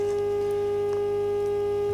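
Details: Telefunken Hymnus AM/FM/shortwave radio-phonograph, after power transformer and IF coil repairs, heard through the set's own high-impedance speakers: clean steady mid-pitched test tone with faint hum underneath; normal IF test tone.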